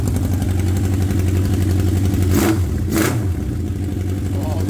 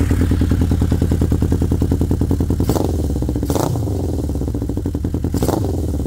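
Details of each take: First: 1979 Honda CB750 F Super Sport first start, rusted exhaust pipes cut off: loud, raw, deep unmuffled bark with sharp revs; running on open pipes with no exhaust. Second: 1979 Honda CB750 F Super Sport four-cylinder after carburetor float levels set to factory spec (cured earlier spitting and sputtering): steady even idle with gentle throttle blips rising cleanly and settling; normal healthy idle.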